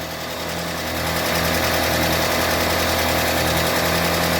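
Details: UAZ Patriot engine just started cold, oil pressure gauge connected, idling with a fast, fairly even light clatter about three per second over a steady hum: hydraulic lifters not yet filled with oil. Cold pressure is not yet meaningful before warm-up.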